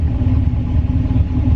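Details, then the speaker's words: Turbo LS-swapped GMC Envoy on a 10 psi tune, restarted hot after a hard pull, with very old oil thinned like water: steady, even low idle rumble with no ticking or knocking. Holds 40 psi oil pressure at idle. Normal idle. "it's not ticking or knocking or anything"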